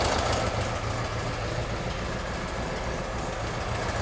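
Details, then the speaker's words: 1971 VW Bus flat-four with new 34 ICT/EPC dual carbs and exhaust, after correcting plug-wire firing order: steady, even low idle chug, no stumble or skipped beats; running on all cylinders while carbs are balanced. "Sounds good. What are we pulling?"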